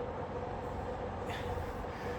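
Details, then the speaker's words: Midea portable A/C in heat mode in a cold roughly 60–62° room: steady even fan rush with faint hum, compressor drone gone while blower keeps running; compressor cutting out repeatedly, cause unknown. "whatever was creating the heat is shut down the compressor you can hear that it shut down so obviously something is wrong"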